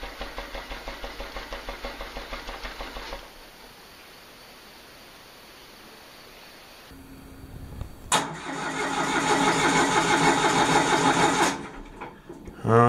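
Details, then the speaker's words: Denyo DCA-15SS-N genset, 1.6 L 3-cylinder Nissan diesel, over 30 years old and unused for years, cranked without glow-plug preheat to prime oil: even cranking at about three compression pulses a second, no firing; cranking without start. "the first thing is that the thing hasn't run in a in a while so I will I will crank it a few times without starting it without preheating it to get the oil up in the engine"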